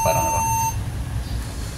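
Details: Acer laptop on Windows 7 giving a single steady high beep at power-on, then faint hum; RAM fault, addressed by removing the 2 GB RAM module and cleaning its terminals.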